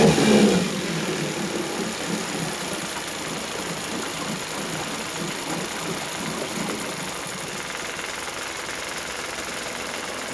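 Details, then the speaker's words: Suzuki DF50 2006 three-cylinder outboard, 297 hours, running in gear: smooth, even drone holding steady with no knocks or rattles, started easily without smoke; motor sounds healthy. "сейчас ребят ну вроде видели все хорошо работает 297 моточасов"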